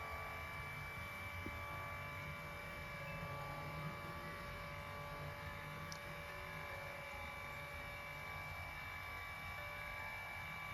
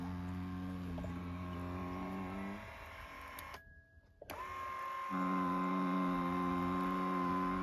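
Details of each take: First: Lourdes massage cushion L (AX-HL168) after repair: low even hum with faint steady whir, no knocking or rattle; worn roller had lifted and resonated under pressure, fixed by adjusting roller shaft angle to fill the worn gap; grease didn't help. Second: Lourdes massage cushion L (AX-HL168) pressed under body weight: steady low motor buzz with whining tone, dropping and resuming, occurring at the upper travel, fine when lower; worn roller gap makes the gear/motor area buzz under pressure.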